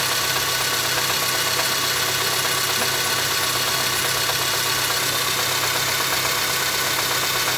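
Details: Engine at idle: sharp bright tapping about twice a second on top of an even idle; knocking, source not yet traced.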